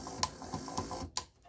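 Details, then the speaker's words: Proto2K GP7 locomotive drive unit tested on DC power before decoder install: uneven, jumpy clicks several times a second instead of a smooth hum, unit jumping around; broken axle gear. "Hear that sound? See how it's jumping around? That is the sign of a broken axle."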